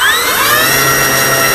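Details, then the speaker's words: Low voltage cutoff test on eFlite 1.2M Spitfire electric motor, full throttle on bench with different adapter in line: high motor whine winds down in pitch then shuts off on its own; adapter ruled out, weak battery suspected. "winding down hits low voltage cutoff so we know it's not the adapter"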